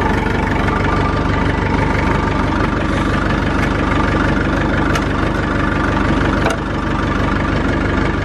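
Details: Massey Ferguson tractor (a 165 or a 35; a four-cylinder Perkins diesel is mentioned), started on a loose battery after sitting a year, with no smoke: a steady, even diesel clatter with no misses or knocks. This is a normal, healthy diesel idle.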